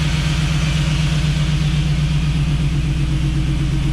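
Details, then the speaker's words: Jeep V8 idling with new true dual exhaust, quiet up front but visibly shaking; uneven lumpy pulse with recurring skip in exhaust beat; cause was multi-port injection set as throttle body in the tune; misfire at idle. "Now, it could just be a setting or something that I have. It's nice and quiet up here, but you can see the shake."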